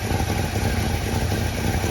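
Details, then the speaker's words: 1966 Plymouth Fury III, Poly 318 V8: after a new coil, plugs, distributor cap and carburetor work, it now holds a deep, even, quiet idle on its own with no stumbling or surging; before, it needed high throttle to keep running. Normal idle. "That's a plus. Hey, it's actually running, right? Yeah. Before we couldn't get it to run by itself like this. You always had to keep the throttle very high. But it seems to be actually doing its own thing now. Very quiet."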